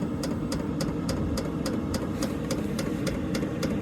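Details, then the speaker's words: Diesel heater in a 2012 Ford E250 van, just started on setting 8: crisp, regular fuel-pump ticks about three a second over a steady low burner roar. The heater is warming up and running normally. "she's kicking in now hear the fuel pump clicking there so she's getting pretty warm now"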